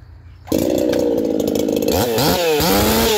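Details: Saw Fest 4910 50cc race chainsaw, out-of-box chain with about 25–30 cuts, carb leaned out after running rich: snaps to wide-open throttle, clean, crisp high-pitched scream with blipping revs ahead of test cuts in oak.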